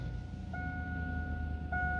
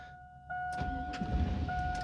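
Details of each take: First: 1999-2007 GMT800 Chevy truck with Vortec V8, just started after PCM replacement and VATS relearn: low, even idle rumble with no misses or knocks, two brief chime tones over it; healthy running. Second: GMT800 Chevy truck with Vortec V8 after PCM replacement, during VATS relearn, battery supported by another running truck: steady warning chime while starter churns unevenly and engine never fires; anti-theft lockout blocking start.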